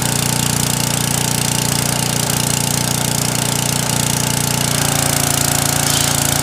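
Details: Briggs & Stratton small single-cylinder engine after a carburetor needle fix for surging and stalling under load, reassembled with the old bowl gasket: small single thumps at a steady, even beat, no surging or hunting; running clean and healthy.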